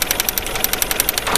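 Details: Suzuki APV 4-cylinder petrol engine idling with a sharp, slightly uneven ticking pulse; engine missing, with a single-cylinder misfire at idle.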